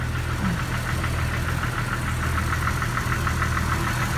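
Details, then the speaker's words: 2002 Jeep Wrangler TJ idling on restart 20–30 minutes after bearing replacement, ticking and exhaust leak gone but repeating knock underneath about three a second; owner suspects a lifter. "like I'm still hearing the knocking though here let's go underneath"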